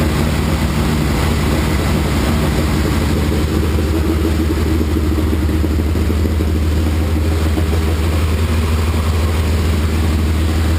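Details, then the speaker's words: 1981 Laverda 1200 TS Mirage triple first run since 2003 after new cam chain, valves set, base timing, rebuilt carbs, new airbox and exhaust; deep steady rumble, smooth fast idle on choke, no knocks or misses; normal running, slight carb fuel leak. "but anyway I'm thrilled started right up looks like I'm in the ballpark with my base timing settings and my base carburetor settings and it sure soun"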